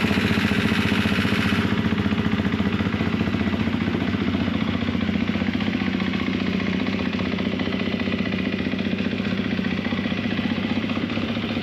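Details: 2024 Gas Gas MC250F single-cylinder engine after top end with Vertex piston, soda-blasted head, replaced broken starter idler gear and rebuilt starter, fired up for heat cycles: crisp, steady quick idle, no knock or rattle; healthy.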